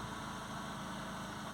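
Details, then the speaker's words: Peugeot 207 previously no-crank with no engine ECU communication, after repairing corroded ECU and broken yellow wire pin: starts, no engine light, quiet steady idle with no misses; normal idle. "I'm getting the engine light it's actually well it's started I don't know if you can hear it but it started so no engine light no nothing"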